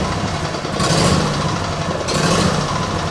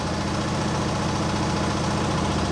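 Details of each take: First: Small petrol engine with automatic choke, cold start left at idle: uneven idle with loud irregular thumps every second or two; owner first suspects choke, then water in fuel from washing; carb never cleaned, cause unconfirmed. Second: Small single with Nikki carburettor, restarted after running poorly: smooth, regular idle with a steady low thrum and no stumbling or misfires. It runs fine now; the owner suspects the earlier trouble was water or moisture.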